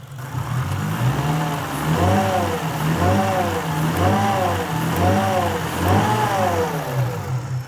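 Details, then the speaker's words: Lexus IS200 with Eaton M62 supercharger kit, new custom intake with shrouded BMC filter, at idle: smooth with gentle once-a-second rise and fall and only faint blower whine, quieter than before; normal supercharger whine. "this is definitely quieter at idle you could hear it whining at idle before"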